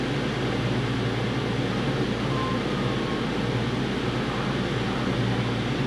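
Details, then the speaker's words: Toyota Tacoma V6 just after a spark plug change to Denso Iridium plugs: even, steady idle with a low hum and no misses, ticks or stumbles, much better than before, though the owner notes some remaining right-bank issue. "sounds like a try and get that sounds like really good nice better than the first time I looked at it yeah a lot better than the first first time that's for sure"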